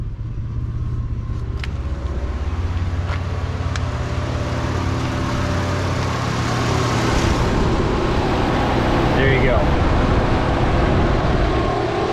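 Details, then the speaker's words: Grand Am (1999-05) at idle, coolant around 192, cooling fan two commanded on via HP Tuners: steady whoosh building over the engine, smooth and even with no rattle or scrape; fan working normally. "feel it you can audibly hear it um and then like you could definitely feel the air being pushed back"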